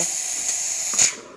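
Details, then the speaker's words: Older-style DeLonghi Magnifica after full shop service; the customer had replaced the flow meter, generator and water pump. A steady loud steam hiss for about a second, then a short spurt and a clean cutoff. Normal steam wand operation. "But I think it's going to activate steam this time. To get water, you would just have to hit the water spout button before you pull the lever. As you can see, working well."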